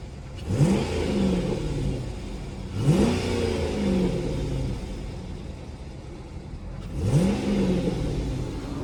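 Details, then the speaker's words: Chrysler 300 SRT8 V8 after removing the rusted-out exhaust/catalytic converter part that was making a ringing noise: clean throttle blips rising and falling to steady idle, no knocks or rattles; now just regular engine noise. "as I can tell it's not making no noise no [Music] more just regular engine you feel me just making a regular engine noise"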